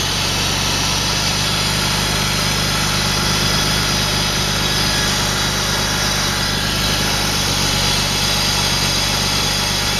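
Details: 2000 BMW 328i at idle: loud, uneven running with constant hiss over a shaky low rumble; rough idle, owner suspects bad intake boot, unconfirmed.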